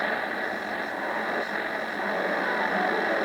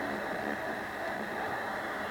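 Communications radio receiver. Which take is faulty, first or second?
first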